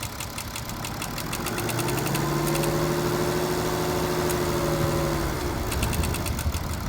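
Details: BMW 535d diesel: revs up smoothly, then a dry ticking rattle about three clicks a second returns as revs fall, no noise at higher rpm, heard from the rear of the engine; timing chain suspected.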